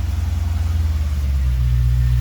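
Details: Chevy square body truck with V8, no tailpipes, first start after sitting for years, VATS deleted, cold rev: deep steady burble climbing smoothly, no misses or knocks; engine running normally.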